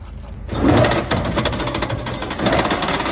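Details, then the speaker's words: Electric tricycle with a recently replaced motor, rear wheel lifted: sharp clicks over the whirring drive quicken with speed; owner says the click was occasional, now frequent and faster at higher speed; motor alone runs clean, axle shafts and bearings look normal. "这个车主说呢，原来声音是偶尔会响一下，现在呢是响得非常频繁，而且跑得越快，它响的也就越频繁。"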